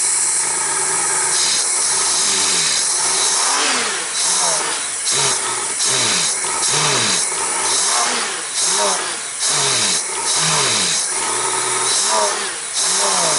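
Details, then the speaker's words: Honda GL1500 Goldwing after carburetor clean with accelerator pump and idle fixed, not yet warmed up, shop about 60°F, on choke, earlier slight hesitation; repeated throttle blips about once a second, crisp clean pickup; normal revving. "oh we got the accelerator pump fixed and the idle fixed so maybe with the air cleaner on it just needs a little bit of drag from that"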